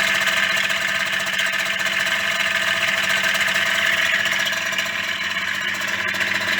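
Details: Yamaha DT50MX two-stroke that starts and runs, but a fast, loose rattle of about four per second rides over a buzzy idle, too rattly to trust. Owner plans to strip the engine again and use Koyo bearings in place of the previous brand. Cause suspected. Engine rattle.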